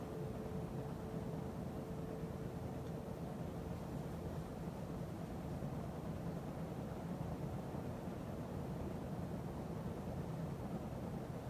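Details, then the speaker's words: 52" Emerson Heat Fan ceiling fan dated September 1980, at maximum speed after bearing replacement and blade balancing: even soft whoosh, faint steady hum, slight wobble, no clicking or bearing noise; occasional speed-control buzz; normal running. "It still wobbles a little bit, but not as much as it used to. And there's no more noise, no clicking noise, no bearing noise."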